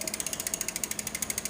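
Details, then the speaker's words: SRAM rear derailleur during cable adjustment: fast even metallic ticking about eleven clicks a second as chain rubs next cog on downshift; misaligned, overshifting, needs barrel adjuster tuning. "I hear a little bit of noise the noise that you hear that signals that it's not lined up just right it is shifting down now it's going to shift down too far"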